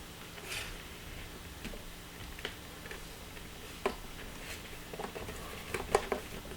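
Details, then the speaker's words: Failing 2 TB hard drive in a six-drive RAID 5 NAS: quiet room hum with a few sharp, irregular clicks a couple of seconds apart as the heads click before the drive dies and stops spinning. "coffin wait for it there's the click get an ssd this is not worth it anymore sounds like a snake now i know this hard drive is dying"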